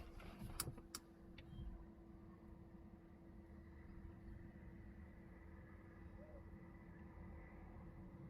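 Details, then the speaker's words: Jaguar XE Ingenium diesel after fuel filter replacement: key-on without brake, engine off, quiet steady low hum with a few clicks as fuel pumps prime; repeated three times before starting; normal. "donc là surtout surtout n'appuie pas sur le frein tu fais que ça et là on entend les pompes qui amorcent tu attends tu attends"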